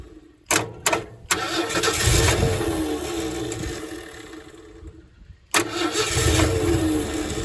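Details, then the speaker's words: 1968 Ford F100 that last ran in 2001: after cranking with spark now at the points, it catches and runs unevenly for seconds on lawnmower fuel poured into the carburetor, then dies. "Oh, there it goes. Let's put drop a little more fuel down in there. Drop some of that lawnmower fuel in there."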